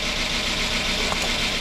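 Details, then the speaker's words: 2005 Chrysler 300C AWD 5.7 HEMI, first start after repairing a dropped valve seat, destroyed piston and head, idling with no coolant: busy fast ticking over a light idle as the lifters pump back up with oil. Lifter tick. "it uh it's idling hear all the lifs Bing for oil so I'm going to shut this down for now"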